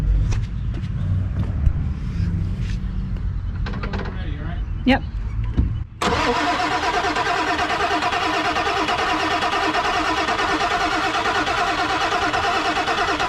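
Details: Non-running 1997 Ford F250 4x4 with 7.3L Powerstroke diesel, being revived: steady, slowish cranking about once per second after a pause, never catches; cranks but won't start, cause unconfirmed (enough high-pressure oil hoped for, possible leak at petcock valve noted).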